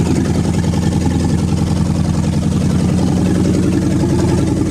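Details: Engine revived after water delete, warm: steady, even low rumble at idle with no knocks or surging; owner notes a vacuum leak is audible.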